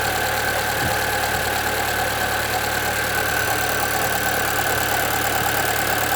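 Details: 2013 Chevrolet Celta 1.0: even idle with a constant whirring hum and faint irregular knocks from the front belt end, noise worsening; timing belt replaced at 50,000 km didn't fix it; owner suspects the water pump, which has slight play.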